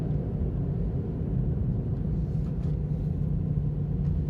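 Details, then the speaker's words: Ravon R4 (Chevrolet Cobalt) while cruising: a steady low drone under the road rumble from a worn wheel hub bearing, a problem that returned after a year. "Как гудит подшипник на Равон R4? Слушайте внимательно."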